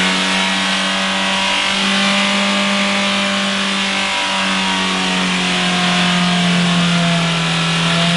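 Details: Diesel Mitsubishi Carisma accidentally overfilled with several litres of excess engine oil: engine screams at a steady high rev with no throttle, holding flat and hard; a diesel runaway on excess crankcase oil.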